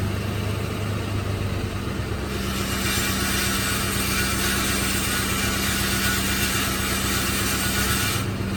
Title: Rattling noise